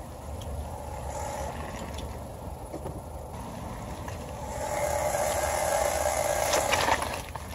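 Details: 2017 Honda Civic front end: road rumble, then a thin squeaky rubbing and screeching tone as CV boot folds rub against each other; cleaning and lubricating the boots cured it.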